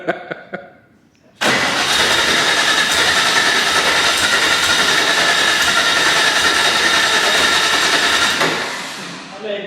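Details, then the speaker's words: First start of a new 600+hp air-cooled Porsche 964 Turbo engine in an RWB 911, injectors on: about seven seconds of even cranking that never catches, fuel vapour from exhaust, smells of fuel; owners think it's over-fueling. "there's fuel coming out the exhaust well what looks like fuel vapor coming out the exhaust so it's and it smells of fuel"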